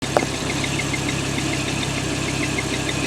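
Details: Audi R8 V10, used car, hot idle: light quick chirp repeating a few times a second over the engine; crankshaft end play making the rear crank seal squeak.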